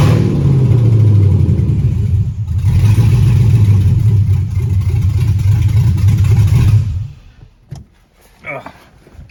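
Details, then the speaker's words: 1995 Jeep ZJ, long-sitting, started in park: very loud deep rumble with throttle blips and a raspy pulsing, then shut off; owner notes an exhaust manifold leak and plans new gaskets and hardware. "and then I need to go ahead and take those manifolds off I notice I have a manifold leak so I'm going to put a fresh set of gaskets on"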